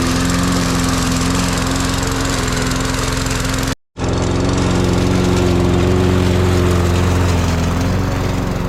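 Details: Cheap Walmart push mower mowing tall grass on a track; steady pulsing petrol thump under load, holding speed with only a brief cut-out; healthy cutting.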